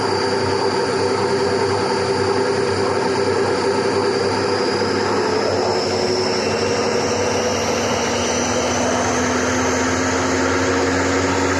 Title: Bad bearings D: